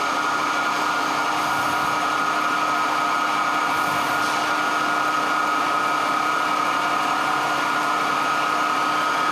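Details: 1924 Alexanderson alternator SAQ at Grimeton radio station, running at speed with motor speed held constant and cooling fan on before keying: steady smooth high hum, constant fan rush, no knocks or rubbing; normal operation.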